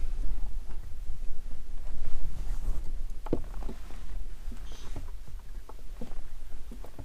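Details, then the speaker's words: Subaru making irregular sharp clicks over a low rumble when the clutch pedal is pressed; cause unknown, owner taking it to the dealer. "hopefully you guys heard that clicking noise so yeah I'm going to take it to Subaru right now"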